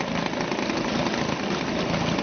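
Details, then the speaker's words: Suzuki DT 2.2 HP two-stroke outboard in test tank, choke off, warming up, fuel at least a season old: steady even tick-over buzz, no misfires or stumbles, cooling water flowing from two outlet holes; healthy idle. "Just let it warm up a little bit, and that will tick over quite nicely now."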